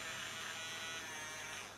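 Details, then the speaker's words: Happy Kid Bubbles Watercraft toy water jet boat with dead drive: small DC motor run manually by applying negative to SS8550 transistor base via a resistor; high even buzz spinning steadily without stutter or grinding. Normal running. "see if I can just touch it on there might be able to hear the motor running yeah so that's me turning the clumsy strong manually to run the motor"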